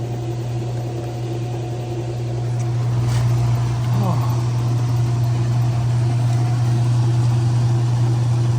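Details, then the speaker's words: Whirlpool WDP540HAMZ4 dishwasher, about 6-7 months old, after replacing the bad wash motor/pump (which filled but would not wash): steady low motor hum with water swishing, no grinding or labouring; normal wash cycle, washing like a champ. "now that's what it's supposed to sound like yeah yeah there it goes washing like a champ"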